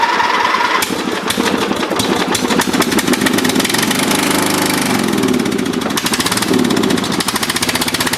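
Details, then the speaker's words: Dynamark riding lawn mower that sat unused, tried after a new carburetor gasket and fresh gas without removing the carburetor: uneven, sputtering run with irregular firing; dirty carburetor, fuel filter suspected. "yeah still not not doing good let's say so you can get it running a little bit longer"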